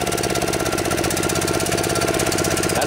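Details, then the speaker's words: Kawasaki FC150V 6.75 hp single on a DR TR1 walk-behind trimmer, carburetor gummed after long storage: idles okay but won't rev, fast uneven chug never climbing; slow circuit works, so main jet inside carburetor suspected plugged. "as much as it'll rev up. Seems like it'll idle okay. It just won't rev up. So I think that what that's telling me is the main jet inside the carburetor is plugged."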